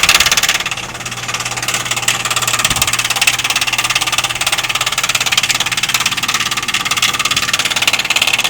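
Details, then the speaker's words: Outdoor heat pump unit: loud, regular knocking about three beats a second over a high hiss, heard daily; owner was told the defrost is causing it, cause unconfirmed; vent blows cool air. "this noise is so annoying we have to listen to this day in and day out and I'm told that this is the defer that's making this noise on this machine"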